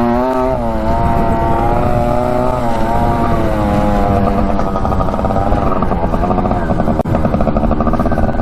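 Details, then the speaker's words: 1967 Yamaha YL1 two-stroke motorcycle, barn find revived after sitting over 40 years, normal running under riding load in first gear before shifting to second: steady ringing buzz rising smoothly, no misfire or stumble; goes pretty good. "Yeah, she goes pretty good, doesn't she?"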